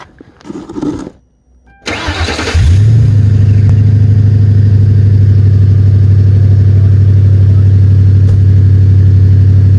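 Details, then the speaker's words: Ford Crown Victoria after the exhaust was finished with cherry bomb mufflers and gutted cats, hangers fitted: it cranks, catches and settles into a smooth, even low idle with a soft, quiet exhaust note. Normal idle. "So freaking quiet. That's insane."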